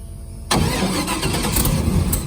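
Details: LS3 V8 airboat after a leaking gasket was replaced, oil rinsed off: catches instantly and settles into a strong, even idle with no misfire or stumble; healthy V8.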